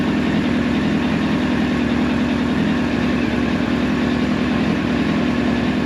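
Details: 1999 Yamaha R1 inline-four, engine rebuilt about 600 miles ago, warmed up during carburetor sync: steady, even idle with no misses or lumpiness; carbs balanced, normal idle.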